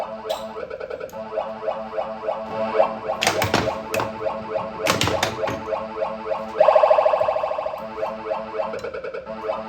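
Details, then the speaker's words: Bally pinball machine with new playfield, plunger working, kickout dirty and not working: bells, chimes and rapid solenoid clacks through a game, everything firing on cue; playfield working normally. "All right. So, you guys hear it? It works. Seems like everything's working on the playfield and everything."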